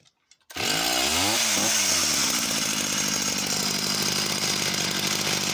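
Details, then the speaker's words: Husqvarna chainsaw, unknown model, restarted with cover off: catches, flares briefly, then settles into even, steady two-stroke idle without hunting; normal tick-over, though no oil feed to the chain. "oh so seems to tick over nice and steady"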